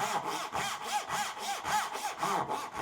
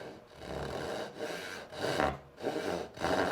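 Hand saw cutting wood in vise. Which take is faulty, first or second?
second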